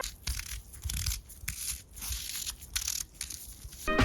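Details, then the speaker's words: Charge Iron steel dirt jump bike restoration, headset bearings after days soaking in rust remover: dry, gritty crunching in uneven bursts when turned by hand; rough, worn bearings needing replacement. "the headset and the bearings went in some evaporate for a couple of days because of how bad it was at the beginning of the build but now the bearings sound like this"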